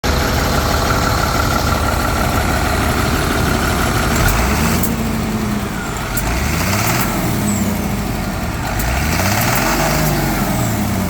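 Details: Truck diesel, found at auction with no coolant, knocks under acceleration, suspected overheating damage from running without coolant; dealer reports no engines or rebuild kits available, 8-12 week parts wait.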